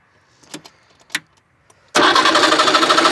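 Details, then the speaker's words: 1989 Trabant 601 S Combi, 600cc two-stroke: cranks steadily at about three beats a second with no firing and no spark at the plug; points on one cylinder not working, ignition fault suspected. "Nothing. Okay. Nothing. No spark whatsoever."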